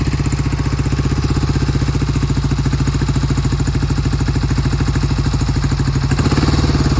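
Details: 1971 Triumph T120 650cc twin, cold start after sitting a long time: lumpy, uneven beat, left cylinder cutting in and out and never coming in consistently; owner claims it recovers once warm, not confirmed; intermittent misfire on one cylinder.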